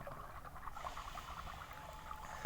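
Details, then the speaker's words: Aquarium submersible pump after repair (disassembled, scale cleaned, wobbly impeller glued) running quietly underwater with a soft steady hum and bubbling, strong flow, no more clicking; normal operation. "Ini teman-teman bisa lihat bisa fungsi dan sudah nggak berbunyi lagi. Normal, tidak ada bunyi kletek-kletek lagi. Teman-teman bisa lihat tuh, pompa akuarium berfungsi dengan baik tanpa bunyi kletek-kletek."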